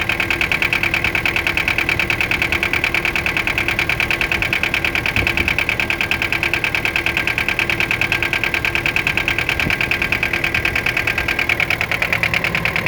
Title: Детонация и стук 4м40.